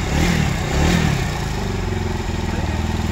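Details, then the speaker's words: UM Commando Classic single-cylinder after replacing the timing chain adjuster: steady, even thump with a smooth rev and no tapping or rattle; the earlier noise is gone and it runs silent as before. "Bike हो चुकी है देखो यह रही पहले की तरह बिल्कुल साइलेंट जो भी आवाज थी सब बिल्कुल बंद हो चुकी है"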